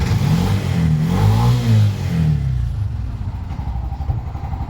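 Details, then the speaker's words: Bajaj BS6 motorcycle with codes P0336, P0351, P0352: revs climb, stumble and drop away, engine misses and cuts out under throttle, check light returns, then won't restart until it sits a while; cause suspected, not confirmed. "Missing ಆಗಿ of ಆಗಿಬಿಡುತ್ತೆ ಗಾಡಿ, ಮತ್ತೆ start ಆಗಲ್ಲ. ಮತ್ತೆ ಸ್ವಲ್ಪ ಹೊತ್ತು ಬಿಟ್ಟರೆ start ಆಗುತ್ತೆ."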